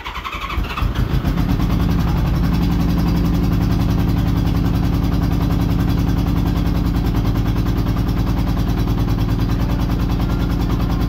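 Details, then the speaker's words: Honda Goldwing GL1200 flat-four after cylinder gasket oil leak repair and reassembly: starts after a long crank, then runs lumpy and uneven with a stumbling beat; misfire, two cylinders dead from a disconnected plug lead. "So when I got the whole bike together, this is what it sounds like. It does eventually start. It doesn't sound great."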